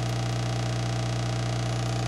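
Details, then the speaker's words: Yamaha HTR-5840 AV receiver subwoofer output: steady low mains-pitch hum/buzz, like digital data, with no program sound; the subwoofer shield ground is open from damaged circuit traces, possibly caused by a ground loop or lightning discharge. "all I'm getting is a hum and it sounds like some digital data of some type"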